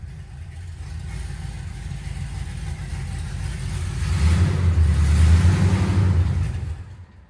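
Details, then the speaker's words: Rebuilt cateye vehicle running and driving again: low, deep rumble climbs as the throttle opens then drops away, with an uneven, loping pulse under load; owner says it runs a little weird and seemed to cam out; engine running rough. "She is running a little weird. Son of a [ __ ] Oh, I'm getting mad."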